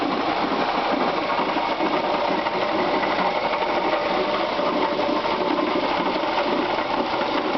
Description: 1996 Subaru Legacy Outback 2.5, 75,000 miles, knocking sound in engine caused by bad water pump.